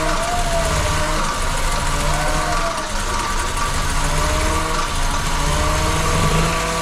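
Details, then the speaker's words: VW Golf II carburettor petrol engine right after carburettor rebuild and first restart: steady, even, smooth low idle, no misses or knocks; some white smoke, manifold leaking, owner thinks normal; normal idle. "fume un peu blanc mais ça va tour super bien je trouve le bol 200 chevaux bon il y a de la fumée partout les potes vous inquiétez pas je pense c'est normal"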